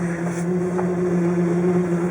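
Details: 1958 Chevrolet Bel Air, first drive since 1971 on a very cold day, idling in drive on the driveway: steady low droning whine from an automatic transmission low on fluid; it would not move forward until a couple of quarts of ATF were added.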